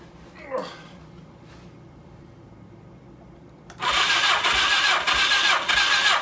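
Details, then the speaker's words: 1982 Suzuki GS1100 not run in years, cranking with plugs out after oil squirted in cylinders, compression test reads 140: starter spins fast and evenly, about 167 beats a minute; good compression. "see that from there that's 140 that's good"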